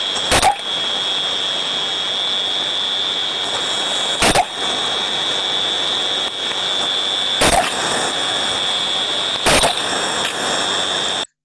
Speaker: we can see from this sound recording now that we have eight bursts of turbulence all of them are a lot shorter in duration so we can see that now this this trap is not cycling to the OEM guidelines this trap is now losing its efficiency